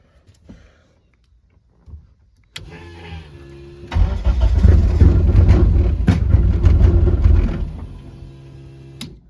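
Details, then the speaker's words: Eagle Talon engine on a DIYAutoTune MegaSquirt ECU, with the VR pots being readjusted: starter whir, then a few seconds of rough, uneven firing that almost catches but dies. No-start from the ECU losing crank-signal sync. "I adjusted it forward um and it just kept desyncing until it eventually just didn't read any RPM so now I'm ringing it back from what it was and it it almost wants to go."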